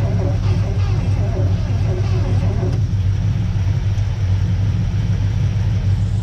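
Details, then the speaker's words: 1976 Ford F250, previously seized, after plugs out and penetrating-oil soak, spark confirmed: catches and runs roughly with an uneven, lumpy low rumble and irregular beat; long-stored engine firing but not running right, possible dead spot. "however you can hear it does have life so we should have something going on here tell another video [Music]"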